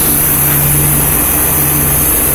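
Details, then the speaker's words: 1990 2.5-ton Tempstar heat pump in cool mode in hot weather. A loud drone with a low hum and raspy, uneven rattle; the outdoor unit sounds rough and strained, with little air blowing out the side. The unit is dying. "it sounds like absolute this poor thing I can't even find the comments that he's trying for but no air is blowing out this hot dog the side there's the compressor can't see the compressor or the fan blades but it's just"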